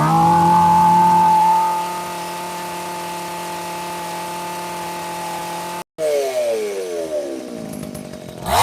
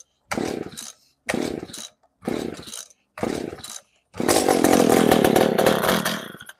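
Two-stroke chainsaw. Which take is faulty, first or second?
second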